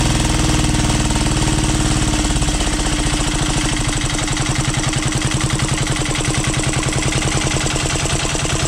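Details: 12HP air-cooled single-cylinder diesel, test-run after overhaul; it had been hard to turn over and ran only once. Owner suspected a bad piston. Rocker arm and valve clearance were reset. Steady, even thumping with no knocks or rattles: normal running.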